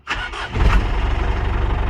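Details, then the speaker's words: 6x6 Land Rover Perentie ambulance diesel started via a temporary start button, pending a new ignition switch, after a suspected bad start solenoid. A brief crank, it catches within a fraction of a second and settles into a steady, even idle; a normal start. "beautiful. That will sort us out for now."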